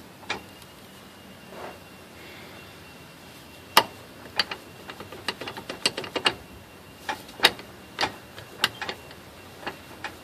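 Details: 1988 Jeep Grand Wagoneer 4x4 drivetrain: sharp, dry metallic clicks, uneven at first, then quickening to about three a second.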